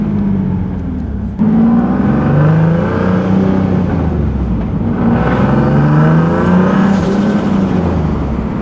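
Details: Boosted single-turbo Nissan 370Z Nismo accelerating on a nearly 100-degree day after an exhaust leak was fixed: clean exhaust note rising and falling smoothly with revs through the gears, no ticking or puffing; healthy, leak-free.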